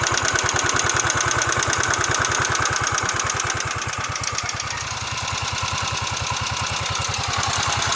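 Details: Yamaha Mio scooter (tags list Mio M3, Mio i125, Soul i125) idling with crisp, even valvetrain ticking at about three per second, in time with the small engine's idle; valve ticking.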